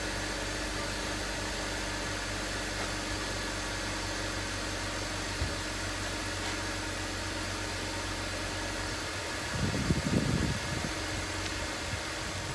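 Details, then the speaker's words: BMW X3 E83 after oil leak repairs: a steady, even idle with a smooth low hum and no knocks or ticks; it runs well with no more leaks. "Should have no more oil leaks now. Runs good, sounds good. Everything's hooked up."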